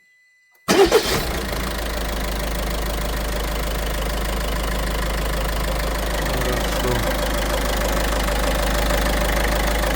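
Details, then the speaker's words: Peugeot 5008 1.5 HDi diesel after replacing the stretched timing chain and tensioner (cause of the even knocking from the chain side): first start catches at once, settles to even idle, knock gone, no ticking or rattle. "И стук ушёл. Ништяк."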